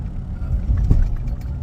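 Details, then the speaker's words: 2015 Ford F250 Super Duty driving at night: dull low thump rising out of the road rumble, truck riding rough and knocking; foam body mounts degraded and worn out. "don't know if you heard that thump right there or that thump but the body mounts are gone they're shot"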